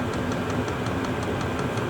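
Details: Chinese diesel heater with blue controller warming up, blowing warm air, not yet dead hot: steady even roar with soft regular pump ticking about five a second; burning smoothly, normal running.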